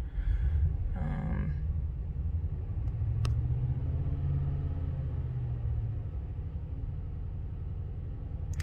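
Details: 2021 Ram 1500 5.7L Hemi held above idle: a low, uneven, lumpy rumble with surging; a dead misfire on cylinder 1 from lost compression, so it won't idle without throttle.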